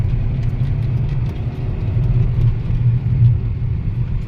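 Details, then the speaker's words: Mercedes-Benz W212 after replacing two ignition coils: a rough, lumpy rumble that won't climb when the throttle is pressed, with the engine light flashing. The misfire persists; the mechanic suspects the engine ECU. "ไม่ได้นะครับนี่ครับไฟเครื่องยนต์กระพริบแล้วครับเชนแล้วไม่ได้เลยนะครับเนี่ยวิ่งไม่ออกเลยครับ"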